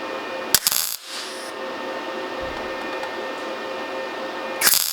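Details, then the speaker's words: MIG tack welding on thin sheet at 17 V, 5.6 m/min wire speed (a setting for 3 mm steel): short, sharp crackling bursts under a second each over a steady hum. Very brief trigger time gives clean tacks. "So that's those three there. And you can hear how short of a time I'm holding the trigger on for."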